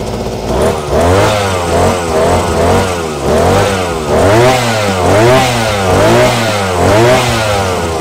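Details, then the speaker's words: Tanika backpack grass cutter, small two-stroke, test run just after assembly: revs up and falls back about once a second, smooth with no rattle or misfire; normal running. "kita coba ya suaranya halus"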